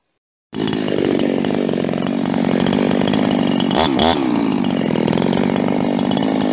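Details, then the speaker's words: "Fugly 350", a Husqvarna 350 chainsaw with Huztl top end, back after months in use and field repairs including a gas leak: high buzzing two-stroke rasp holds steady, dips briefly then recovers cleanly; running healthy. "It's healthy again. Wish I had a stand for this damn thing. Maybe I'll set it up in a log pile. Just so you can hear Fugly run."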